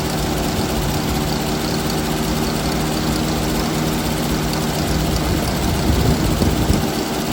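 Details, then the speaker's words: 1979 Jeep CJ5 after sitting since 2019, now fed fresh gas from a separate tank straight to the mechanical pump: uneven, lumpy idle with fluttering low drone; carburetor leaking fuel and sucking air, rebuild kit needed. "I think we're fighting a carburetor here so I need to get a rebuild build kit for this but it's obviously sucking air and leaking fuel"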